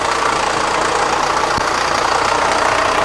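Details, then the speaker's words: 2006 Kia Sorento with P0300, P0301, P0303 and P0305 misfires and raw-fuel smell, running with the timing cover off: busy, uneven rattle at three to four ticks a second from the front timing area; a loose timing belt is slapping. "see right here that timing belt is dancing all over the place, especially right in there right there. Okay. Well, we obviously have some type of timing component failure that has happened."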